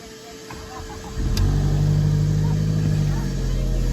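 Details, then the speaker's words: Audi A4 1.8 turbo, not run for about two years, after new coils, plugs and a replaced relay fixed a crank-no-start with no spark: a brief crank, then it catches at once and runs strong and steady. "started right"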